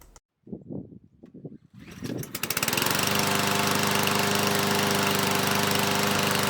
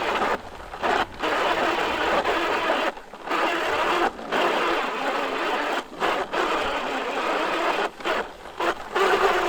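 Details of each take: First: New PowerSmart DV8621S 170cc 21-inch self-propelled gas mower, primer bulb pressed three times: a few quiet pulls, then it starts on the first real pull and settles into a steady, even buzz; engine sounds healthy. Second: New PowerSmart DV8621S 21-inch 170cc self-propelled mower pushed by hand with the drive not engaged: dry, gritty grinding in rough bursts from the rear wheels; the owner is unsure whether it is normal and suspects the gears.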